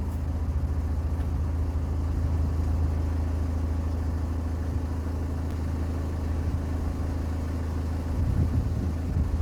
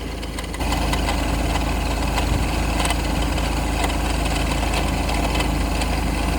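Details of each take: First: Ford C-Max 2.0 TDCi diesel idling after replacing the failed smart-charging alternator; steady even idle, smooth low drone, no rattle or knocking; sounds healthy. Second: Ford C-Max 2.0 TDCi diesel at idle: loose, uneven rattle about four times a second, suspected to come from the failing smart-charging alternator that is being replaced.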